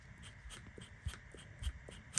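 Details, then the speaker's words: New replacement mechanical fuel pump for a Sunbeam Alpine, hand primer worked on the bench: soft, even clicks and puffs about twice a second; pump pumping properly. "You can hear it working. So, I have high hopes for this pump."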